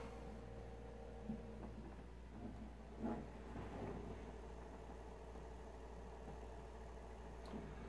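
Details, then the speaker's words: Power supply unit fan powered on: only a faint steady hum, fan barely turning or stalled, not working; fan to be replaced. "just the hum of the fan moving and not working and so I'm turning it off and because I'm going to replace it"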